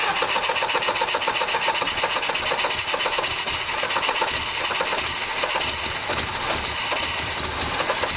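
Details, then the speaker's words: 1989 Dodge Daytona ES, throttle-body injection: quick even starter churning that never catches; gas pouring and spitting at the throttle body even with key on, injector sticking or fuel pressure regulator stuck open suspected, flooding the engine. "yeah the gas is just pouring in there something's up with that injector uh the injector is sticking it's just flooding it"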